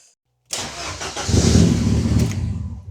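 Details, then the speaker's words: Ford Sierra Cosworth RS under restoration, first start of the session after reconnecting the battery: brief crank, catches within a second and settles to a steady even idle; starts straight away, healthy. "Oh là, mais elle part direct quoi."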